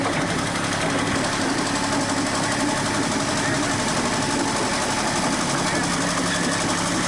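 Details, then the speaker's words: Komatsu PC40 excavator with original Yanmar diesel before swap to Cummins: loud busy clatter with a steady knock and faint squeal; owner suspects a failing main or rod bearing. "it's squeaking you can hear the main or the rod bearing i think it's fun so hopefully it don't lock down"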